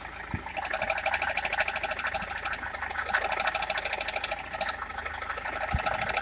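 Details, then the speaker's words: Rover 75 at idle, bonnet open. Light, quick ticking of about three taps a second while the steering wheel is turned back and forth; it also taps with the aircon on. Battery and alternator checked as charging fine. Cause not yet found. "It's a little tappy noise to turn the wheel back and forth."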